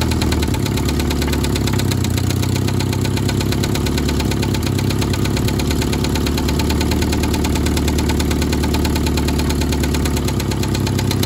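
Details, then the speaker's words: 1972 Toyota Celica 18RC, first running in 26 years after an original carburetor rebuild, in cold weather around 30–41°F. Steady idle with a loud rough chuff and light metallic clatter. No blow-by; exhaust leak suspected, with exhaust and intake manifold replacement planned. "we got no blow by that's a good sign sounds a little bit clanky but once we get that changed out it will sound better"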